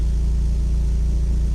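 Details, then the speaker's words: Mazda Miata on a Megasquirt 3X ECU, first start, ignition timing just set: steady, even low idle with a smooth regular pulse and no knocks or misses; idle right on the 850 rpm target, wideband reading rich at about 12.9 AFR. "all right so this sounds actually pretty good and the idle sounds okay"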